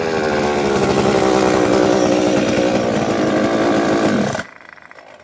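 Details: Rebuilt two-stroke motor after carb cleaning and reassembly: a steady, even high-pitched buzz holds without stumbling for about four seconds, then cuts out cleanly; the kill switch works and it runs healthy.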